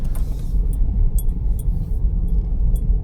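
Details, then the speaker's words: Vauxhall Corsa reversing slowly after replacing worn front shock absorber top mountings, tires at 32 psi: low steady rumble with the previous front suspension knocking gone. "Straight away, I can hear that the knocking noise that it did have has disappeared."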